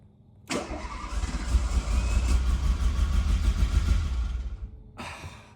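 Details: Renault Alpine GTA Turbo, mid-engine, recovered from years in storage: starter spins in a quick regular beat, engine catches unevenly for a few seconds then dies; fires but won't keep running, fuel pump audible, cause unconfirmed.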